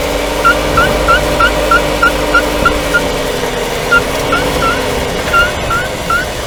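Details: Renault Duster 2020, 19,000 km, AWD automatic, warmed up, microphone on the subframe, driving without braking: short rising chirps about three per second over road rumble; squeak from the left driveshaft's inner CV joint boot, fixed by servicing the boot.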